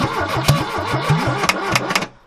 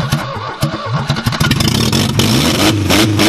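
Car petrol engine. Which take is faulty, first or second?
first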